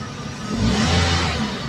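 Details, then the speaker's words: Toyota Vios Dual VVT-i petrol engine revving smoothly and evenly with A/C on, no misfire or stumbling after spark plug fix; owner had complained of low power. "So kahit binibirit natin, walang missfire na nakikita."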